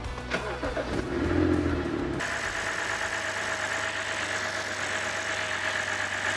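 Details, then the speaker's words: BMW 528i, N52 inline-six, after a repair for a grinding noise using an improved replacement part. The engine catches and settles into a steady, even idle with no grinding underneath; it runs clean and healthy. "엔진 런도 깔끔하고 또 부러질 수 있겠네요"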